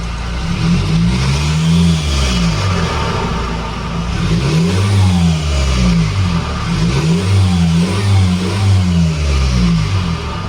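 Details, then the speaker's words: 2008 Honda CR-V 2.2 L i-CTDi diesel after swapping the original airbox for a K&N sport open air filter: repeated throttle blips, deep note rising and falling, higher-sounding engine with an audible airy intake rush on each rev; normal open-filter induction noise. "It sounds like much better. It sounds higher, the engine sounds higher, the induction sound, you can hear it. When you rev the car, you can actually hear the air being sucked."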